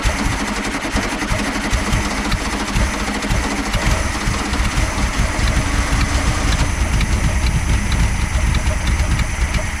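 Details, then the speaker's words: 1973 VW Super Beetle with gas poured straight into the carb: uneven, lumpy firing that runs rough a few seconds then fades, as if starving for fuel. The owner suspects a failing fuel pump or a clogged fuel filter. "okay well now that time it actually ran a little bit better or excuse me it ran a little bit more and it pumped more in here"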